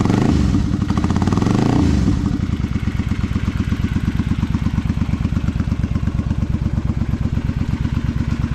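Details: Honda V-twin Magna 250 (MC29), 17,810 km, with drag pipes: quick throttle blip, then an even, lumpy V-twin idle that settles cleanly with no knocks or rattles; normal idle and revving.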